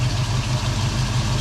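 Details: Foxbody Mustang 5.0 V8 with a deep even idle and steady low throb around 1000 rpm, no surging. This is after cleaning the dirty EGR valve, which the owner guesses caused the rough idle and surge.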